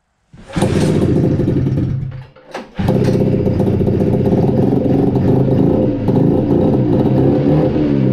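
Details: 1972 Arctic Cat Panther 340 two-stroke snowmobile, first start after wiring fix, exhaust loose, CVT stuck: fires and buzzes, sags nearly dying, then uneven burbling; won't hold idle, owner suspects flooding or running lean.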